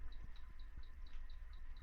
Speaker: You can hear that little chirping. If you can hear the chirping right now, and there's nothing lit up here, none of the buttons work.